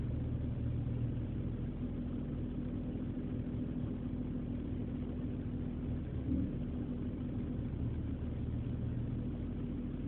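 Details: BMW E46 petrol engine misfiring at idle on cold mornings, a low uneven rumble that stumbles now and then.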